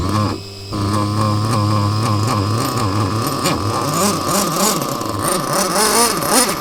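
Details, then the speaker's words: Mugen MBX6T nitro truggy, small nitro engine running rough: high buzzy note hunting and wavering in pitch, never settling to a steady idle; sounds unhappy, cause not confirmed. "Well, there's one thing that is for sure, is it doesn't sound very pleased."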